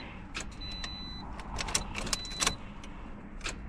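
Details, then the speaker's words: 2013 Toyota Corolla no-crank: sharp, irregular starter solenoid clicks with no cranking; power is reaching the solenoid, so possibly another bad starter. "Yeah, I hear the starter clicking. Yeah, the solenoid is definitely clicking."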